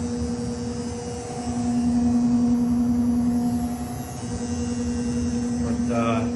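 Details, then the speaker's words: Old furnace: a steady low electrical hum with a fainter buzz on top; the owner is unsure whether the furnace motor is bad and notes the thermocouple is ancient and fouled. "the one is a buzz the other one's a low-level hum the motor is so cold at its core"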